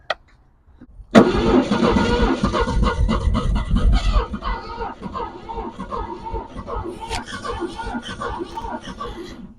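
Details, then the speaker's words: 1965 Ford Thunderbird long parked by the ocean, running on fuel poured down the carb: a rough burst that stumbles and fades after a few seconds. Spark is present but no fuel is delivered up top; fuel reaches the carb, so the carb is suspected. "all right so she did we are still getting spark now we're just not getting fuel up here"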